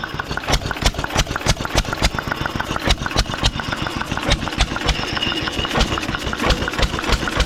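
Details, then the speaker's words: 1920s Taylor Model B hit-and-miss vacuum engine, long unused, restarted after fuel work, choked to burn old gas; loud uneven chuffing bangs at slow irregular pace through noisy muffler, running on its own, steaming in the heat. "She uh she definitely is a runner, ain't she? She's not real hot. She's steaming more in this heat."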